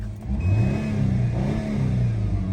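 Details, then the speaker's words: 2008 Subaru Impreza after replacing the failed ignition coil that caused shaking and no power: the engine climbs smoothly through a couple of even revs and settles to a steady low drone with no stumble or vibration. "revs nice and good back to nice and smooth no vibrations whatsoever"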